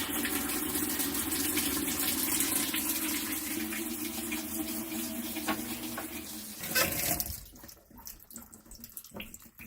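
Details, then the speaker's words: Amana top-load washer after 30-minute unplug reset and control button sequence: steady hiss of water rushing into the tub, then tapering off; normal water fill after the reset. "So the water is filling up. I came back down here. It's been about I don't know 5 or 10 minutes."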